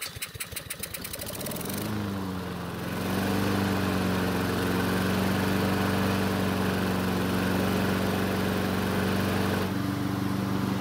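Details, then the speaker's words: Nearly new Honda HRN 216 mower that wouldn't start, after manually priming with fuel; a few pulls then catches into a smooth, even hum; suspected water in carb bowl or jet blockage; normal running after start. "well that was really interesting the engine started and ran it just apparently needed to be physically primed"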